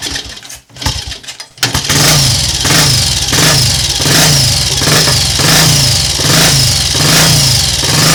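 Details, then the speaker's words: Triumph Tiger Cub Scrambles replica single, stone cold in frosty weather, four jabs on the tickler: a few kicks (eight total) then it catches and settles into a steady beat with regular throttle blips; healthy cold start. "well while that doesn't make me look like a magician I can live with and accept that that was four Jabs on Tickler but it actually took more kicks to start today than what it did yesterday"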